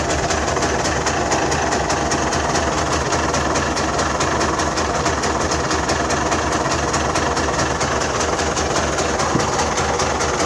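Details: Mitsubishi Delica V6 6G72 idling: steady airy hiss with light rapid ticking near throttle body is normal intake suction; smoke test found leaks only at airbox spring clips and an intake hose.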